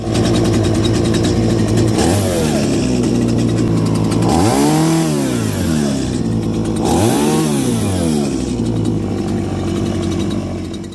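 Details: Stihl MS-170 chainsaw after its carbon-plugged spark arrestor screen was burned clean, idling steadily then revving cleanly to full speed twice and dropping back without bogging.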